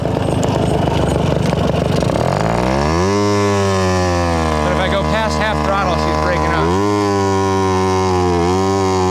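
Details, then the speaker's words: Garelli SSXL moped two-stroke, timing rough-set, poor carburetor: pulls cleanly on initial takeoff, then turns rough and breaks up past half throttle; misfire up top, cause not confirmed. "yeah she is not happy up top"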